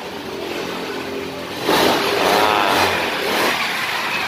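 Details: Honda Scoopy scooter that had not been starting, CVT pulley bearing job: quiet at first, then engine catches at about two seconds and settles into a smooth, even idle with no knocks; running fine.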